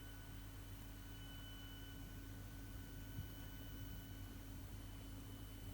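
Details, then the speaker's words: Faulty Sony 65-inch TV that switches off with a flashing red error light, back open and running: thin intermittent high-pitched whine from the power supply board over a low hum. "One thing I haven't noticed, you get a sort of a whine from this power supply."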